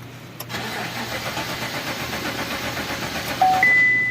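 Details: Engine cranks steadily about three seconds but never catches; crank-no-start because the fuel pump motor is stuck.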